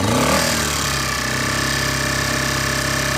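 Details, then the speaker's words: Honda EU1000i inverter generator after Seafoam treatment, started still slightly warm without choke; steady even buzz at constant speed, no misses or surging, tiniest bit of smoke still. Normal running. "Sounds so much better than it did. Tiniest bit of smoke still coming out."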